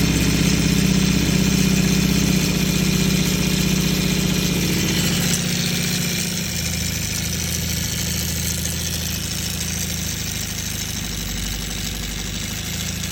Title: CB550 rattling sound. Anyone know what could be the issue?